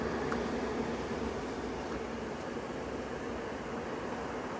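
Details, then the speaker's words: RV furnace, model SF-25, after replacing the motor, combustion wheel and blower squirrel cage, running 10 minutes: steady smooth rush of air with no humming swell or vibration. Blower is running normally and quietly. "so we've had this thing running for a good 10 minutes it's not it's not vibrating it's not making any noise at all"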